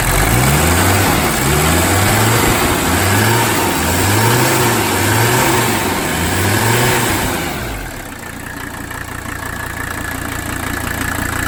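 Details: 1985 Mercedes 300D diesel, started after fuel pressure checks to look for leaks: a lumpy, uneven idle rocks about three times a second and never settles. Rough idle still being diagnosed; a worn overflow valve causing low fuel pressure is one possibility being checked.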